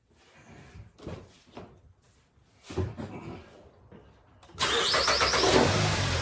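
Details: 2012 Hyundai Sonata after a radiator replacement, fired up to let coolant cycle and bleed air: a few quiet clunks, then it catches at once and settles into a steady idle. Starts and runs fine.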